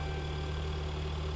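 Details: 2011-2020 Dodge Durango 3.6L Pentastar V6 at idle during an exhaust back pressure test, gauge hose taped along the passenger-side exhaust; a smooth, even low hum with a steady beat and no knocks or flutter; gauge bouncing but within the green, exhaust free-flowing.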